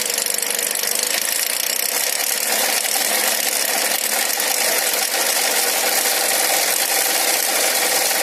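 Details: Light tapping knock, about three per second, over a steady idle with a hissy, tinny background: engine knock in a Nissan X-Trail MR20 engine.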